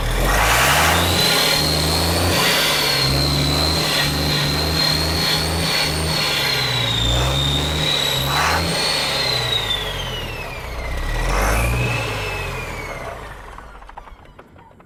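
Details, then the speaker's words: Diesel after bleeding the injector lines starts but revs up and down unevenly with a surging, slurping beat and a rising whistle before dying away. There is a small leak at the fittings and the fuel doesn't seem well primed; rough running. "That sounds like my Labrador Retriever drinking water out of his bowl. Still, this don't sound like it's got a good prime."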